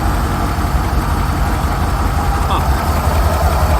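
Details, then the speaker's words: Rolls-Royce Silver Shadow V8 idle just after replacing spark plugs: deep steady rumble, much smoother; previously running on fewer than 8 cylinders, still shaking somewhat, which is not normal, but much better. "because now it's sounding a lot smoother it's still shaking which is not normal but I think it's it's it's much better than before"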